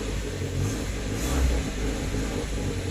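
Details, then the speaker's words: Hyundai Matrix 1.6 automatic, cold engine, in D or R with throttle pressed: engine rises to a short rev and hums with no pull-down or movement; car won't drive when cold, suspected slipping automatic gearbox, unconfirmed. "kita sudah tekan minyak guys tapi tidak pernah jalan so Memang betul lah kata ono dia"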